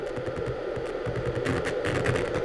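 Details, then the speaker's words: Amiga 4000 after recapping, audio output: harsh buzzy crackling distortion with reduced volume from the left channel instead of clean sound; fault not yet traced, not thought to be the capacitors. "that's what I get out of the Left Channel yeah so there's something not right with the Audio"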